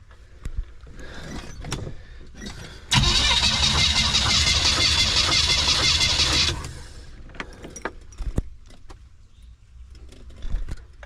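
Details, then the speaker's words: Van compression test on a weak battery, cranking cylinder five or seven: a steady chatter of about three beats a second for three seconds, with weak compression. Owner suspects bad rings or a leaking head gasket between cylinders; cylinder five read about 80 psi. "I think we're finding the problem I don't know if that's bad rings I don't know if it's bad head gasket I do not know but that's not good"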